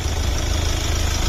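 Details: Kia Optima 1.7 CRDI 136 hp Euro 5 diesel with start-stop and dealer-serviced history, heard with the bonnet open: a steady, even idle with a smooth low rumble and no knocks or ticks. The engine runs normally.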